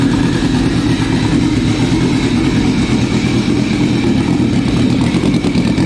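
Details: Sea-Doo RXP-X 260 turbo with a freshly rebuilt engine, first start after replacing all three stuck-closed injectors: steady, even idle with a smooth low drone and no knocks or stumbles; running healthy.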